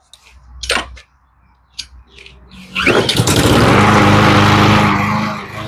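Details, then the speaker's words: Cub Cadet mower that sat a year, carb cleaned including corroded emulsifier tube, fresh gas and new fuel line; handling knocks then the engine catches into a strong, steady, even run with no misses, touch of smoke, running normally. "now okay I turned off the mute you know the sound deadening so you can hear it she sounds really good Touch of smoke Touch of gas"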